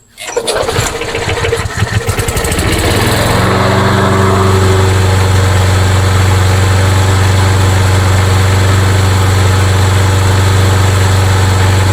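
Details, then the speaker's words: Craftsman mower, single-cylinder engine with a hard-start issue: catches after a few rough pulls, then a steady, even putter with no misses; runs fine, carburetor to be checked for starting. "But the good news is the good news is it runs just fine."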